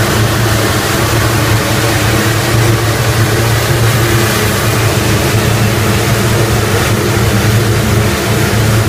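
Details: Rotec R3600 radial engine on test-stand dyno after mixture leaning (10–11 L/h) and left/right magneto checks; smooth even beat with steady low throb, no stumbles, running well.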